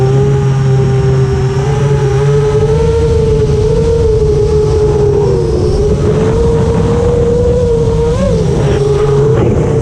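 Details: FR7 FPV quad brushless motors after tuning with D-min removed, Iterm relax cutoff 10, RPM filter on: clean steady tone rising and falling smoothly with throttle, no rasp or grit that D-min had caused; healthy, well tuned.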